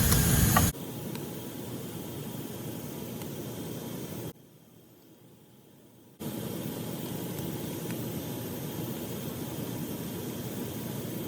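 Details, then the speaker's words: Valve feeding a level transmitter, freeze protection removed: steady hiss of high-pressure hot steam leaking past the valve packing. Fixed by tightening the packing. "you can hear the steam flowing through the package as you can see from the slow-motion video as the high-pressure hot steam flows past the packing leak"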